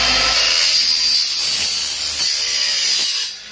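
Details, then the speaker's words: Aluminum miter saw after blade sharpening: even, hissing bite through the stock with no chatter or screech, spinning down cleanly; the earlier noise from the dull blade is gone, normal cutting. "Okay tayo mga kasama, talagang parang bagong-bago siya. Parang bago talaga. Nawala na po yung ingay niya sir. Wala na yung ingay. Kanina ang ingay."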